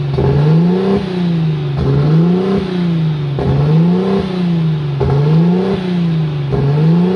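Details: Nissan RB25 Neo engine with a high-idle problem; idle hunts up and down about every second and a half, pitch rising and falling steadily; surging idle, cause unconfirmed, a separate unidentified noise also under suspicion.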